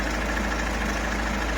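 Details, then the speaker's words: Ford Mondeo MK5 2.0 TDCi DW10F diesel, about 370,000 km, low oil pressure fault: idling with loud busy mechanical rattle and whirr from failing oil pump, not accessory belt, alternator belt or timing; pump to be replaced. "To nie jest pasek osprzętu. To nie jest pasek alternatora. To nie jest rozrząd. Te dźwięki są z pompy oleju."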